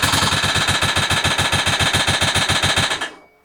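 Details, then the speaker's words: Loud, sharp ticking at about three to four a second over a rough run, then cuts out; sound seems to come from the side; cause not yet known. "unbelievable ticking noise what I hear there I absolutely not sure what that is looks as if it's coming from the site we're starting it"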